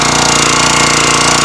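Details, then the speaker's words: CountyLine log splitter with 6.5 HP Kohler engine, just fitted with a new carburetor after it died after 5–15 minutes (suspected fuel issue, not the vented cap). Started on choke and full throttle, first pull: fast, even pops, no misses or surging. "Just changed out the carburetor on my county line splitter."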